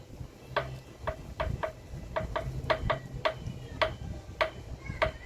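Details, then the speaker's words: Motorcycle front wheel spun by hand with the brake caliper removed: sharp dry tapping knock at the axle, heard only when the rim turns, from worn front wheel bearings. "Es como un golpe, como un golpeteo, amigos. Pero ese ruido se escucha, amigos, solo al girar el aro."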